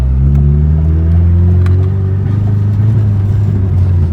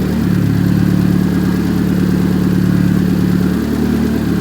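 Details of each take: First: Big-turbo Chevrolet Cobalt SS, misfire with check engine light, choppy under boost; owner suspects spark plugs. Deep droning rev turns choppy and uneven, engine breaking up under load, worse than before; misfire under load, cause unconfirmed. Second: Big-turbo Chevrolet Cobalt SS on E85 after regreasing spark plugs to cure a misfire under boost: loud, steady deep drone with an even pulse, no stumbles, no check engine light; running clean after the misfire fix.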